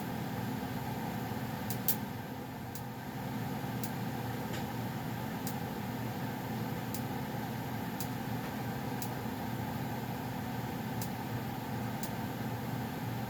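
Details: Goodman gas furnace around shutdown (owner notes popping at shutoff): steady low blower hum with faint, scattered light ticks from warming metal; running normally.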